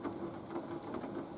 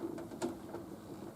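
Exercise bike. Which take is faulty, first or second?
second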